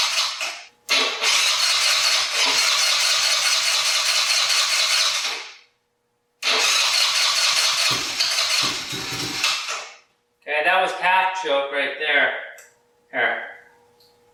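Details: 2020 Yamaha Grizzly 90cc kids' ATV that only ran on choke, after carburetor fix, 80°F: engine catches, runs in strong bursts revving up and back cleanly between pauses; starting and running fine.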